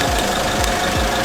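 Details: Opel Corsa C running badly: uneven idle with a heavy low thump dropping in about every third of a second. The engine is misfiring and running on three cylinders, cause not confirmed.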